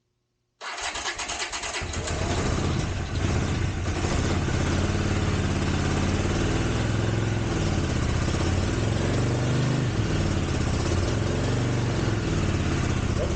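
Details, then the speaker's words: 1983 Honda GL650 motorcycle, sat outdoors 30+ years, first start after carburetor cleaning, on choke: catches within a second into a steady, even low thrum, no smoke; normal idle. "better than that that's pretty amazing exhaust is clear oh good"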